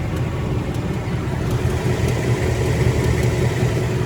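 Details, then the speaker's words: 2020 Ford Mustang GT V8 at the dealer for service, with a tick since around 1,000 miles: faint, light ticking of roughly two or three a second through a steady low engine drone; the owner says it is ticking pretty badly, cause not pinned down. "yeah even on the 2020s guys these these Mustangs tick and I knew that was gonna happen so at least sure enough now it's really having the issue and it's taking pretty bad"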